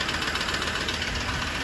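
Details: 2016 Ford Ranger diesel at idle with a ticking knock. A steady light ticking knock rides over the diesel idle.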